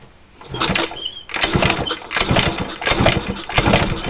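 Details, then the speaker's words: Yamaha RX50 50cc barn-find bike on a kick-start compression test: weak chuffs with no firing, and the gauge won't reach 30 however often it's kicked. The plug looks caramel brown. Low compression; top-end rebuild planned. "damn not even getting the 30 yeah Wow okay no matter how many times I kick it that's as high as it's going time for a top entry built I guess"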